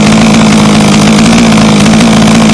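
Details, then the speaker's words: HPI Racing Baja 5B two-stroke, new, after leaning high-end carb needle about 1/16 turn: steady high-pitched scream with no stumble or surging, clean and even; normal high-rpm run. "Alright, let's see what it did. Sounds about as heavy as she's going to get."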